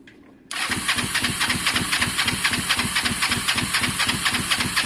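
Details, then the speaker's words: Honda SH125 after engine rebuild, air filter refitted: steady rapid starter chugging near four pulses a second, no firing; both plugs later show strong spark, so suspected fuel problem needing carb removal; crank no start. "it doesn't sound happy at all so alright foreign uh something's changed guys um something's changed you can hear it's just not happy"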